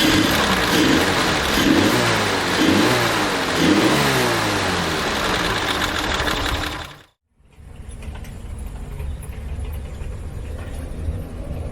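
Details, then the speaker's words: Jeep engine after rebuild and reassembly, first start with 4 litres of oil, cover gasket replaced: even steady beat about three pulses a second, no knock or tapping; smoother and quieter than before. "Bom, o que eu percebi, não sei se você vai concordar comigo, o motor com certeza tá mais suave de funcionamento. Tá bem mais silencioso, me parece."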